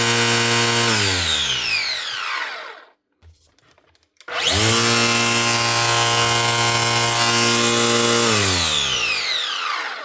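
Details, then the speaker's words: Makita DUR181 18 V cordless strimmer from 2021, after motor replacement for no power/won't start: winds fast to steady high whine, coasts down, restarts instantly at full speed; motor starts every trigger pull with much more power. "But the main thing is the motor starts up every time you pull the trigger. She's got loads more power."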